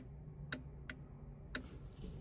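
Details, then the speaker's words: Jeep TJ with LED tail lights (Trail Tails), replacement LED flasher relay D0124: three sharp uneven clicks about half a second apart after the signal is off, phantom ticking after every turn and on hazards. "This one here will give me half a dozen. Well, slightly shorter this time, but it does this after every turn."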